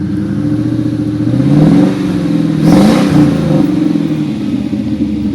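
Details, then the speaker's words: 1994 Infiniti Q45 with aftermarket rear-mount turbo: two clean throttle blips climbing and falling back to a steady idle, no knocking or misfire; the engine runs strong and sounds good. "Anyway, so you can see it sounds run strong. Sounds good."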